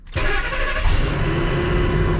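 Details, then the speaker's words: 2002 Ford F-250, 5.4 Triton V8, 86,000 miles, auction-listed inoperable: short crank, catches at once, steady deep even rumble with no misses or knocks; healthy start, transmission suspected instead. "booah thing runs perfect listen to that so maybe the trans is blown"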